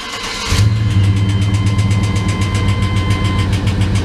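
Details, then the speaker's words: GMT400 Chevy V8 hard to start after sitting on old fuel, ATF added to the oil. Fires up and idles with a sharp steady top-end tick, about four a second, from a worn #3 intake cam lobe/lifter. No rod-knock clunk at shutoff. "oh but that sounds exactly like when i had a loose rocker when you turn it off too you don't get the clunk clunk clunk like a rod knock"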